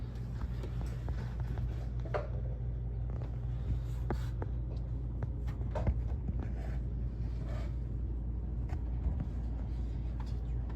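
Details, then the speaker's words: 2013 Chevy Suburban after replacing the idler pulley, tensioner pulley and serpentine belt: engine revved, even low hum with no squeak or chirp; normal belt drive. "So if that's all done right, we got belts everywhere. See if it works. We'll rev her up. And it should be all set."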